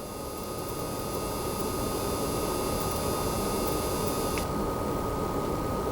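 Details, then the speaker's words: Newer-revision base PS5 running Gems of War, a PS4 game, in the pause menu: thin, steady high-pitched coil whine behind soft fan hiss, then upper tones cut out; whine disappears on the PlayStation home screen. "same as before when we're in the pause menu you get a little bit of that coil wine in the background"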